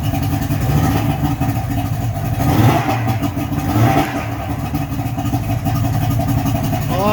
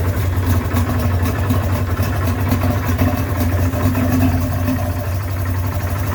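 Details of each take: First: Johnson 55hp two-stroke three-cylinder outboard after carb air-fuel adjustment: smooth, steady drone without misses, running on all three cylinders, no fuel leaking from carbs; running well. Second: 55hp Johnson two-stroke outboard after teardown and rewiring, first start: low, uneven burbling idle with a slightly lumpy beat; started better but still idling rough, carbs need adjusting.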